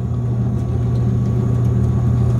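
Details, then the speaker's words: Gas furnace blower with newly replaced motor, now spinning the correct way, running steady low hum during cool-down; fan should shut off once furnace cools to 100, unless fan cycle switch is bad. It did shut off at 100; normal. "it's going to cool off to 100 before the fan shuts off unless the fan cycle switch is no good"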